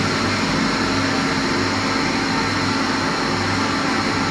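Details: Kaeser ASK 35 screw compressor, built 2013, fully serviced, 3,000 hours, up to 11 bar into a 1,000-litre receiver: steady even rush and hum, no knocks, rattles or surging; running smoothly and healthy.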